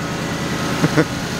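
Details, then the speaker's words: Copart Cat U donor V8, 207,000 on the clock, idling after first jump-start following likely long storage: low, even burble with steady firing pulses, no knocks or misses; smooth healthy idle. "so this is a good start she runs"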